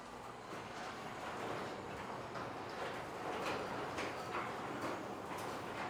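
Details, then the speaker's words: Garage door running after its old rollers were lubed, with the motor installation and eye sensors also fixed; the rollers were not upgraded. A steady soft rolling rumble with light roller clatter remains; the door operates fine and is in good condition. "The customer here decided not to upgrade his rollers in the track. When you do that, it will take away a majority of the rest of that noise, but still the door operates and it's in good condition."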